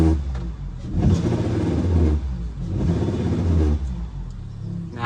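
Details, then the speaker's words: 2017 Honda Accord direct injection engine revved twice, low buzzing rattle and vibration seeming near dash but from engine; bad high-pressure (mechanical) fuel pump. "Now I find out that the mechanical fuel pump, the high pressure fuel pump is bad. That's why it's making that rattle noise."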